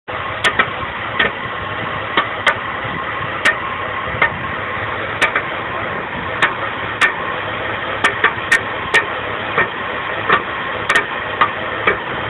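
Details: BMW 325i E46: an uneven rough idle broken by sharp pops every half second to a second.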